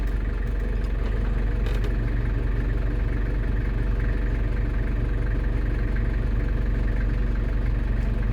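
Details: London Taxi diesel with automatic gearbox, freshly refilled after sump gasket renewal, idling while cycling through gears to bleed: steady even diesel clatter, no misses, knocks or surging; normal healthy idle.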